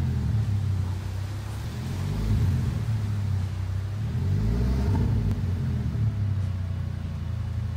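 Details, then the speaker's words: Gasoline engine that the owner says now sounds like a diesel: deep, loud, low exhaust rumble that swells as the engine revs, a raw diesel-like drone. The catalytic converter was stolen. "customer States my gas engine now sounds like a diesel they didn't know their catalytic converter had unfortunately been stolen"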